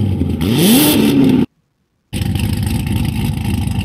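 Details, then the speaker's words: Uneven, galloping rough idle with a brief rev, illustrating an engine with camshaft timing set for high-RPM power, which VANOS corrects by changing cam timing. "can hear the scalloping it's a galloping rough idle so it's pretty bad for the environment"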